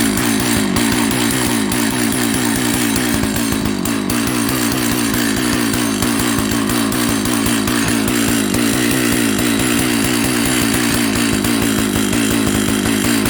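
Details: Jonsered 930 chainsaw project, restarted with covers on and bar oil added: fast, even two-stroke buzz held steady at high idle with no misses or surging; running properly.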